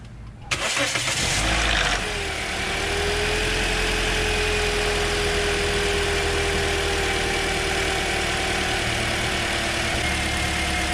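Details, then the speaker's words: 2009 Toyota Corolla 1.8L 2ZR-FE that had P0302 and P0352 codes, after replacing the bad cylinder 2 ignition coil: it catches after a brief crank and settles into a smooth, even idle with no stumble; misfire fixed. "so it's running smooth now no more misfire"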